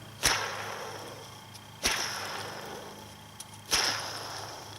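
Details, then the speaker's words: BMW E46 worn idler (deflection) pulley bearing checked by hand spin off the engine: gritty, grinding whir as it spins down, unlike a quiet new one; this bearing can cause a loud noise on cold start or at idle. "that that's the bearing making some noise I have a good one here and that's really how you check him give him a spin and this one's nice and quiet as opposed to the other one has a grinding bearing noise to it usually this can make a pretty loud noise on a cold start"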